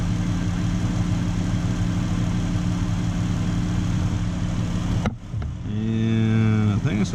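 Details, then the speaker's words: 2013 Dodge Avenger salvage rebuild, engine started and settling to normal idle for an alternator check with no load, which read alternator good: steady, low, even hum for several seconds with no misses or knocks, then other sounds; normal idle. "Alright, so just start it up. Now we'll wait for it to get down to its normal idle."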